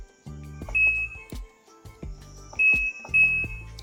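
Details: Washing machine after new control board replacement, powered on for testing: short, clear, high beeps follow each button press over light clicking. The control panel is responding normally.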